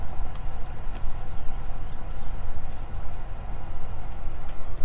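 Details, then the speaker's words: Hydroflame 7920 camper furnace on propane, retested after repairing a torn hose with tape and retightened clamp: blower rush then ignition, steady even rumbling burner roar with no pops or stutters; lit and running normally with blue flame. "Here's the blower. Waiting for an ignition. We hear that going."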